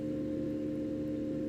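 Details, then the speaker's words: Enermax NEOChanger RGB pump/reservoir combo (400 ml) at maximum 4,000 RPM: loud steady mid-pitched hum like a fan at full speed, deeper than coil whine, no rattle; normal at top speed. "It sounds extremely loud, almost like it sounds like a fan running at full speed. If you have one of those ASUS motherboards, it sounds like coil whine, really. That's not quite coil whine, not as bad, but definitely deeper."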